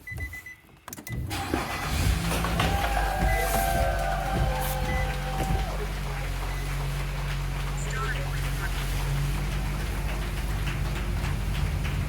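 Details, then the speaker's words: 2015 Nissan Rogue dash blower motor, newly installed replacement tested right after connecting it, gives a steady, even low hum with no rubbing, ticking or squeal; the blower motor runs smoothly. "working it is working F I'm sure you can hear this is before and this is after the installation you can hear the wind BL"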